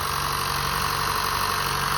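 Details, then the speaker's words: 2015 Honda Fit at 87,733 miles, cold start in the engine bay just after its 90k service (VTC spring, valve adjustment, walnut-blasted intake valves, new drive belt): even, steady cold idle with no ticking or misses, smoother than before the work. Normal. "And it's cold too. Usually when it's cold, it's not that smooth as when it's warmed up. But it sounds really smooth."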